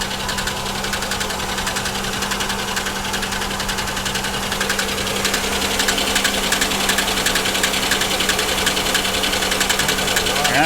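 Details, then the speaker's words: Ticking idle on a 3400/3100 V6 that misfires; sharp steady top-end tick sounding like lifters; owner suspects a blown lower plenum (intake) gasket, and water in the oil may be present. "that does sound like lifters that almost sounds like this car maybe has the blown lower plenum gasket which these 3,430 100's are absolutely known"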